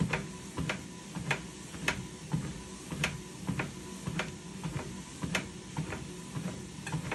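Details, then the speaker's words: Lifespan Fitness TR1200B treadmill running: soft uneven clap clap from the deck, roughly fifty a minute; deck clapping, cause unclear. "no cutting noise coming up closer to the top not to the top but you know like around here you can hear it clap clap attack clap clap"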